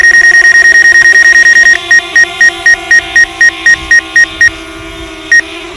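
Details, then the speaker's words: DJI Mavic Air on its first flight, hovering near an obstacle: sharp high warning beeps about four per second over a steady motor hum, then slower beeps, possibly its obstacle alarm sounding. "that's a brand new that sit beside you know that beep and a man it's like hey get out of the way dude I'm about to hit you"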